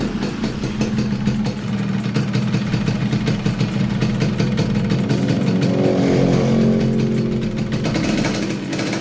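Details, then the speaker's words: Yamaha RX King 135cc two-stroke after repairing a compression and oil leak between head and block: crisp, steady idle with a light throttle blip, no missing or leak hiss; healthy normal idle. "Oke untuk motornya sudah dalam keadaan hidup kita coba lihat pada bagian heatnya apakah dia bocor"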